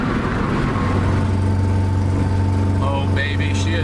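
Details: Honda EK Civic B18 LS/VTEC driven home under load, check engine light, running hot with no coolant: low lumpy drone with no smooth rhythm, labouring on hills; cracked cylinder sleeve, confirmed at teardown.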